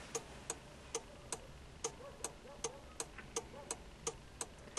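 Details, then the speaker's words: ZAZ-1103 Slavuta, ignition on, turn signal switched on: the 495.37 47 flasher relay clicks unevenly, then stops and the lamp stays lit. The relay is most likely to blame. "Để kiểm tra các lượt, bật đánh lửa xe và bật một trong những ngã rẽ. Nháy mắt đã ... Và kết thúc :("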